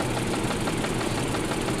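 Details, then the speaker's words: 2010 Mini Cooper idling in the cold: an uneven lope with a regular stumble in the exhaust beat where one cylinder drops out. The cause is a dead ignition coil pack, fixed by replacing the coil and all four spark plugs. "so the coil pack is dead so this cylinder currently you plug this one nothing happens yeah so this cylinder um needs a new coil pack"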